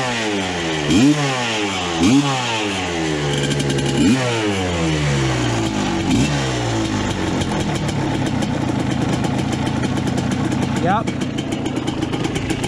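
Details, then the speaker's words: 1986 Suzuki LT250R two-stroke ATV revived after years sitting, spark restored by repairing broken pickup coil wires; sharp crisp blips rising and dropping cleanly then steady ringing idle, smoke clearing from pipe; running healthy. "But she will idle. I promise you, she will idle. Oh, yeah. She sounds snappy now,"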